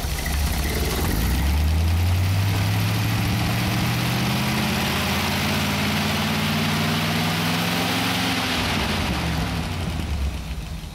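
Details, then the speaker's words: 1931 Horch 480 with a fully rebuilt 5 L straight-8, still running in, warmed up about five minutes: the engine settles from a gentle rev to a low, even idle with no vibration or knocks; it sounds healthy. "and now we've warmed it up for about 5 minutes and now it's idling just absolutely gorgeously all right when I um shut these things down it is idling absolutely beautiful"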